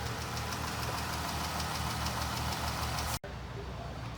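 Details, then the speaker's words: 2014 Ram 1500 3.6L V6 at idle: light, sharp ticking about four times a second, traced by stethoscope to the left valve cover; cause found to be a bad lash adjuster in the valve train. "Ticking noise appears to be coming from the left side valve cover. I'm thinking about like a roller lifter or rocker arm type noise."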